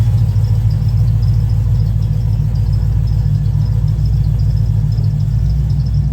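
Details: Cadillac CTS-V just tuned after a heads and cam install: a deep, lumpy V8 idle at about three and a half pulses a second. Owner notes a bad miss he needs to troubleshoot before driving.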